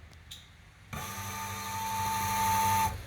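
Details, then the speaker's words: Datsun 510 with one fuel pump removed and the remaining pump bridged, key turned on: a steady electric whir with a clean high tone lasts about two seconds, then stops; the pump runs smoothly and quietly. Normal fuel pump prime. "don't actually hear the left pump at all it's only in the main pump that you hear is the lift pump is going so smooth"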